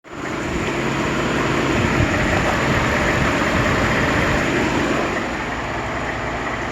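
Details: 2014 Ford F150 5.0 Coyote V8 at idle, about 80k miles, noise since about 40k: light even tick about four times a second, typewriter-like tapping Ford calls typewriter tick; multiple dealer inspections found no cause.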